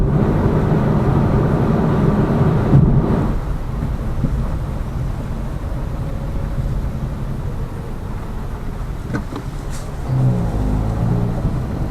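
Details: Lada Vesta Cross with AMT 2.0 robotised gearbox, full load, driving rough road, rail crossings and bridge joints, head-mounted camera; after replacing the front shock struts, stabilizer and engine mount the suspension knock is gone, only even rumble and soft thumps.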